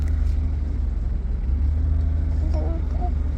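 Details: 2013 Nissan Maxima with a no-crank, no-start fault, started after reconnecting a cut black wire spliced into a tracking device; steady, smooth low rumble with even firing and no stumbles or knocks: normal running.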